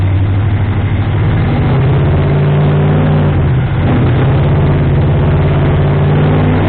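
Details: Ford 351M V8 with a misfire and rough idle, after a slight distributor adjustment. Deep idle, mostly steady but with a slight uneven lope. Still rough; the owner thinks the timing is probably off, and the harmonic balancer timing ring had spun.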